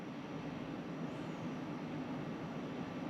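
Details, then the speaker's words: Pioneer Diamante 9k ductless mini-split indoor unit in a woodshop, first start-up in cool mode: steady even airflow hum, soft low drone, no clicks; running normally. "it looks like this is working just fine all right 5 minutes it's dropped it 4° in here it's working just fine"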